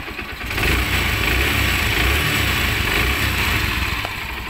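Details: Honda CB125 single-cylinder engine after a rebuild with a new connecting rod and timing chain (previously noisy from a worn roller, loose timing chain and a failed con rod): it starts and settles into a steady, even idle with no knock or rattle.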